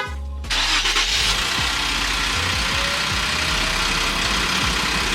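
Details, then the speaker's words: 2017 Infiniti Q60 twin-turbo cold start: loud hissy idle with faint irregular metallic rattle, owner suspects passenger-side turbo wastegate; rattle disappears after about 20 seconds of warm-up and can't be replicated under boost or high rpm. "So, you can kind of hear that rattle noise, but once the car stops warming up, it'll go away."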